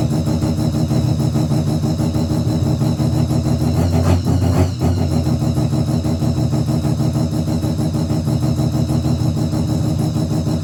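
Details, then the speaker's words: Mazda RX7 bridgeport 13B rotary, EFI conversion with borrowed untuned Microtech ECU, 700cc injectors: loud lumpy idle with uneven pulse, stumbles and won't rev cleanly; rough idle, won't take throttle, needs tune. "So, there you have it. She runs. So, pretty happy with that. It still does need a tune, but I will go around to Beans when he gets his 626 back."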